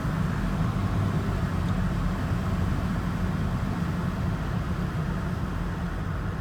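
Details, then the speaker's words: 2008 Volvo XC90 with AWD, cruising at about 45–48 mph after CV joint replacement. An even low road rumble with no clicking, clunking or whine from the driveline; it sounds healthy. "But yep, my all-wheel drive is back, and everything is driving so smooth, no sound, nothing bad."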